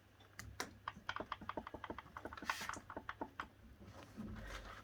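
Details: Bike with newly installed Bafang BBSHD 1000W mid-drive: sharp, uneven dry clicks, about five or six a second, when rolled slowly backwards; no clicking when pulled back fast. Owner unsure if normal.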